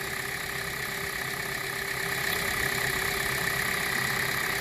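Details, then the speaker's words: 2017 Hyundai Elantra 2.0 idling after a new alternator and serpentine belt replaced a noisy, non-charging alternator. Charging is about 14.5 V. Smooth idle with a light steady front-engine whir and no belt squeal, much quieter than before. "That's it. Quiet noise. Alright. A lot better than before, right?"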